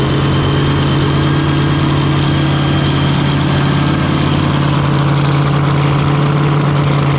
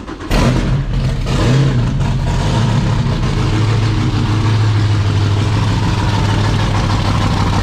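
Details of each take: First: Fountain 42 offshore racing powerboat, twin 9-litre engines, run on fresh-water flush after racing, misfire reported on return; deep steady idle with even low throb and constant drone, no knocks or misses; sounds right. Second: Fountain 42 offshore powerboat, starboard 9-litre V8 run up on fresh water flush: lumpy uneven rumble with irregular stumbles; misfire and popping suspected in starboard-side valve gear, possibly a valve spring or pushrod. Engine misfire.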